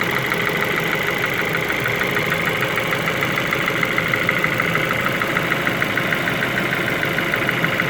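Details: Ford Focus 2 at steady idle with a fast, fairly even ticking knock about twice a second over the engine; engine knock, source not pinned down, cause suspected but not confirmed.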